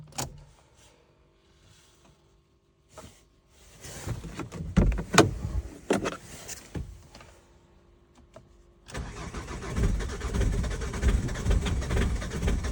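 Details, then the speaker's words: 2.0 TDCi diesel Ford Focus Mk2 Estate, 270,000 km, manual, 8°C outside: when warm it cranks, catches briefly and dies, restarting maybe on the third try into a rough idle; owner fears injectors or high-pressure pump, cold long-crank blamed on glow plugs. "Okay, so the car starts fine now, but when it heats up, you give it a crank, and then dies. So the car starts up and then dies."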